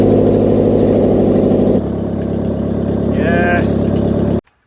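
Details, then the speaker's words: Subaru 2.5 flat-four swapped engine (converted automatic-to-manual), first start with no exhaust: loud unmuffled, settles into a steady even beat with no internal knocking; bottom end sounds sound. "the car with no exhaust on it at all is loud as but good news that engine does not sound like there's anybody hammering away on the inside of it"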